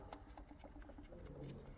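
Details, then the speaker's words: BMW N45 engine stripped with the oil pump out; its chain was never replaced. Light, even clunks about four a second come as a rod is rocked by hand. Every rod has play, worst on the 1st and 4th cylinders, showing worn rod bearing play. "This one has a lot of play and makes some noise. The other ones have play as well, but not that much as the first one or the 4th cylinder."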